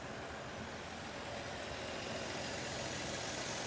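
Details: 1947 Dodge D24 Deluxe six with fluid drive, unrun for over six months with a suspected ignition issue: quiet, even idle with a steady soft beat and no misses or knocks; runs smooth.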